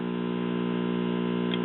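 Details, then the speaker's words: 1965 RCA Scholastic 4-speed tube classroom record player (50C5 output, 12AV6 preamp, 35W4 rectifier) warmed up: constant low buzzing mains hum with steady overtones from old wax filter capacitors needing replacement. "let it warm up and I'll show you as you can hear we have a little filter hum"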